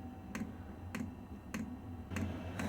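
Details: Vevor diesel heater restarted after moving the fuel pump to stop siphoning, backfiring and white startup smoke, and after adding a combustion air intake; crisp, evenly spaced dosing pump ticks under two a second over a low fan hum, running normally.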